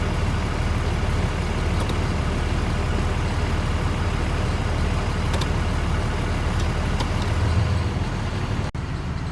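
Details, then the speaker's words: 6.4 Cummins truck with 5R110W after torque converter replacement fixed stalling in Drive/Reverse: steady deep diesel idle keeps running smoothly through the shift, no sag or stumble; engages drive without stalling. "So we're in neutral. Go to reverse. No stall. Drive, no stall."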